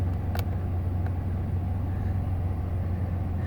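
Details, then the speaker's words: 2015 Ford Expedition XLT 4x4, 79,013 miles, 3.5 twin-turbo V6, heard under the open hood at idle: deep, steady, even rumble with no knocks or ticks; idles smoothly, normal. "let's pop the hood so you can listen to it run underneath the hood like I mentioned has a 3.5 twin-turbo v6 it idles smoothly"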